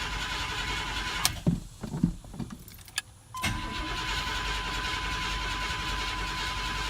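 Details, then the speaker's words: 1985 Chevrolet C10 that sat a few weeks with its battery kept up by a solar charger: strong, fast starter cranking runs long before it catches and idles steadily; owner suspects the carburetor well plugs leak fuel down. "So yeah, see, it takes quite a bit of cranking to get the gas pumped up. So if the battery's not up, it won't crank it over enough to get it started up."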